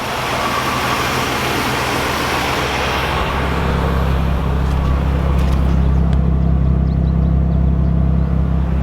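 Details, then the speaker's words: 1978 Oldsmobile Cutlass with HEI distributor, first start after sitting since 2005. After the initial rush it holds a quiet, smooth, even idle with lifter tick quieted, no stumble, running on all six. "sounds like it's running on all six as well wow unbelievable how nice this car runs"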